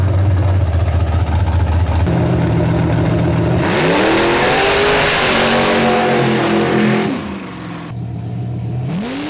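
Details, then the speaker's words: V8 after fixing a voltage problem: sweeps smoothly up and down the revs with a clean rising note, crackle gone; running healthy at high rpm. "Got rid of the crackle. It now it's running so good. Yeah. All the way up in the RPM, you can hear it way up through there."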